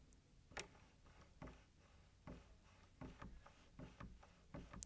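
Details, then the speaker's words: After lubricating the door handle and lock, which had been creaking and clicking, the handle worked repeatedly gives crisp, clean latch clicks with no creak or squeak: quiet door handle and latch. "That is much quieter, it's not making any of those creaks."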